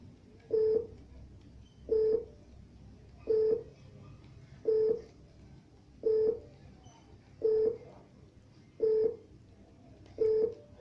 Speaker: Now that you have the no signal beeper on your TECHNOSAT T888 decoder working we're going to look for a frequency so that we can track the satellite that we want.